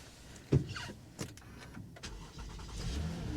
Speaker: wow fired right up